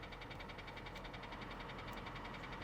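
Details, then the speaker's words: Auction car with 196,000 miles and the engine light on, idling with max AC running. A steady rapid ticking knock of roughly ten per second runs through the idle and doesn't quiet down. "but that noise is not that noise is not quieting down at all so so let's shut it down and walk away from this one"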